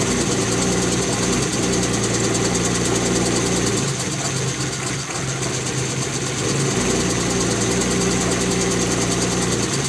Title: E36 m3 bad misfire/rough idle